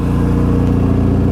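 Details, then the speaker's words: 1991 Saab 9000 Classic Turbo CC, 2.3-litre turbo four, about 223,000 km, just back on the road after five years stored: deep, loud, raw booming blat on free revs because the rear muffler fell off on its first drive. "now you would think that this has a full exhaust or something yeah no I took it out of the garage yesterday for the first time took it for a drive put some fresh fuel in it took it for a drive and what do you know the rear muffler fell off"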